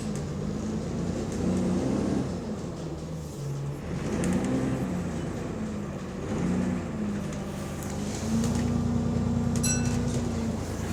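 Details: Exhaust leak on a GAL E264 bus on route 291: engine drone rising and falling through the gears with a raspy, puffing edge.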